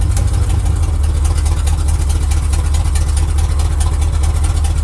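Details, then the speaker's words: 1979 Chevy with misfire and a suspected loose torque converter that usually clunked in drive and worst in reverse: even, steady low idle in drive with no clunk; transmission engages cleanly. "nothing in Drive either it's good"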